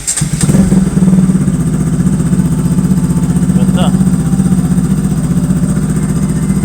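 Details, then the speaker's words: Kawasaki RS200 motorcycle after starting-system repair (stator suspected): engine cranks and fires straight away, then steady idle; the earlier tik-tik-tik clicking when starting is gone. "Ayun Okay na At least hindi na ung tik tik tik ganon pag ano ' ba"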